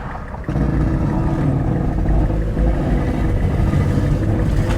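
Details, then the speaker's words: 2006 Mazda 6s salvage-auction car misfiring at low rpm: uneven, choppy rumble with irregular stumbles and sputtering that clears up at higher rpm; low oil pressure light on, front suspension noisy, no check engine light or codes despite misfire. "it spitting and just sputting. Now you get into the RPMs, and it seems to really clear up."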